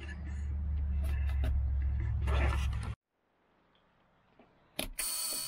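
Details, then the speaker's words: 1984 International cabover diesel semi once headed for the scrap yard, started: a buzzer, then it fires right up from cold and settles into a deep, steady rumble without stumbling. "Come on, run, baby. That thing fired right up. That thing fired right up."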